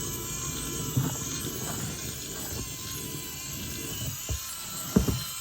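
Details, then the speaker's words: Huge 1/6-scale 5-cylinder radial model engine kit driven by a battery/USB-powered electric motor through gears, valves and pistons moving: smooth, steady whir with only the odd light click; runs cleanly, normal running. "See all the valves opening and closing on each cylinder. Really nice. Nice smooth running as well from those gears."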